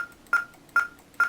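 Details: VHIT system's test beep, triggered from the software's beep function during a rate-sensor and VLink check: three clean identical high beeps about half a second apart; audio output working properly.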